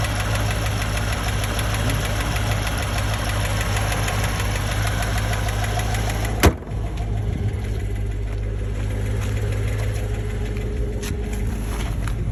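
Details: Steady idle with a fast, even light tapping over the engine note, believed to be lifter tick; cause unconfirmed.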